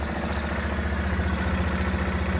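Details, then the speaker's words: 2006 Yamaha Phaser 250 motorcycle, 141,000 km, engine fully rebuilt about 20,400 km ago, idling with air filter cover removed; steady low beat with faint airy hiss from the air filter/intake, reduced when cover refitted. "O barulho que tá ali, esse barulho é do filtro de ar lá, ó. Tá chiado ali, ó."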